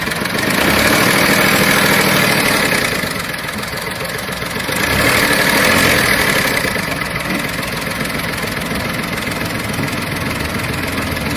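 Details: VW Polo 7 petrol engine idling in a Tunisian repair workshop: fairly regular ticking tapping over the hum, about three or four a second; engine noise, cause unclear.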